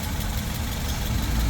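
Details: Toyota 2NZ-FE engine, previously noisy, after the oil strainer was cleaned and the timing cover refitted; a steady, even low idle with no knocking or ticking. It sounds smooth and healthy.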